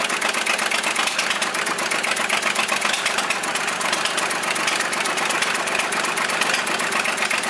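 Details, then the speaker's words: Volvo 320 tractor, indirect-injection Perkins diesel, first start after rebuild, glow plug not fitted, rocker cover off: sharp rapid ticking puff about four per second over the idle, combustion gas blowing past the cylinder 3 injector seat. "rezolva problema căci suflă pe lângă de lângă injector"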